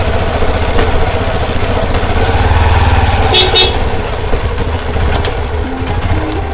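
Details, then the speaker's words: Karizma motorcycle after fixing annoying chassis rattle by properly fitting the chain part; steady even engine beat and smooth road run with no rattle; normal healthy running. "यह problem चैन dot को अच्छी तरह से fees करने से problem दूर हो गई"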